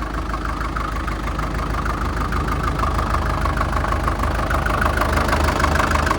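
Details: 1947 International Harvester TD-9 gas-start diesel crawler, first start in years after magneto cleaning/rebuild and timing suspected 180° out corrected; American Bosch injection; steady low idle with heavy even knock about three per second, normal fuel knock, running fine.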